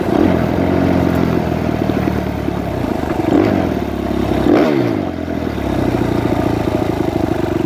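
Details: Suzuki RMZ 250 previously wouldn't start; after re-timing the cams, the single pulls through blips and falls back, firing steadily without misses or cam clatter; normal running.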